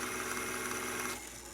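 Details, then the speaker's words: Zenith YT960 stereo console with Z57 (Wollensak 5730) reel-to-reel after restoration and new belt: smooth, even motor and capstan hum with steady hiss, no flutter, scrape or squeal; tape transport running cleanly. "um so far seems to be running real nicely um been testing some functions there's the rewind fast forward"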